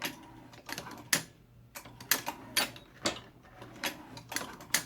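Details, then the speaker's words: Hornady Lock-N-Load AP reloading press: crisp light clicks in irregular pairs as the ram goes up and down, the spring-loaded pawls slipping under the indexing gear and snapping back; normal pawl clicking. "if you hear that, that's those paws going in and out. When you're going, the ram is going down, the right hand paw slips underneath the gear, and then once it clears the gear, it snaps back up because it's spring-loaded. And that's the clicking that you hear when the ram is going up and down."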